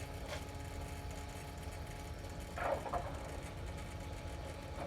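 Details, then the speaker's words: 2018 Ford F-350 6.7L diesel, key on and engine off, after a fuel filter change and ignition cycling: a quiet, steady lift pump hum with soft clicks and no gurgle. A good stream of fuel returns to the tank, so the system is primed normally. "it sounds like a pretty good stream of fuel flowing back into the fuel tank returned fuel and pump sounds like it's working pretty good"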